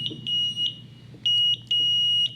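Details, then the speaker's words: Horn buzzer on a 2025 Golden Technologies Buzzaround LT (GB108) mobility scooter; several short, clean, high-pitched steady beeps, so the buzzer works, though it is not very loud. "Not the loudest horn, but it works."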